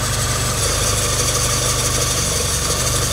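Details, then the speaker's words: Engine idling: steady high hissy belt chirp over the low rumble; power steering pump belt loose, confirmed as it went silent with candle wax on the belt edges; needs tightening or replacement. "Using candle Apply candle to both eedge of the belt, if it doesn't make noise, it means the belt has loosened."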